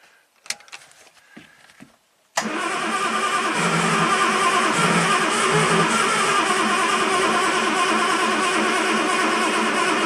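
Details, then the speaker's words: 1967 Triumph GT6 parked since 1999, fresh oil, starting fluid sprayed, choke on: after clicks, starter spins steadily at a quick even pace but never catches; crank no start, low compression suspected, oil light went off. "don't know if we have enough compression, but the oil light did go off, so it did pump up enough for the oil light to turn off."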